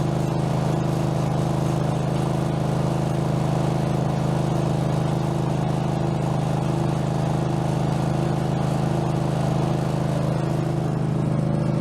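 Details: Craftsman garden tractor, possibly Kohler engine (badged 22 hp, possibly 18 hp), after mower deck blade spindle replacement, no play in spindle: steady, even drone with smooth blade whir under load, no knocking or grinding; deck healthy.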